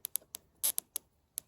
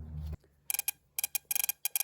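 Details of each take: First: Mopar electronic ignition distributor on a bench with battery, coil and spark plug, turned by hand: sharp dry snaps at uneven gaps, about eight in under two seconds; weak, sporadic spark, so a different ignition box is tried. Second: MSD ignition bench test on a classic Mopar distributor turned by hand with battery and spark plug: sharp, crisp snaps in quick bursts, a stronger spark than the other systems tested; healthy.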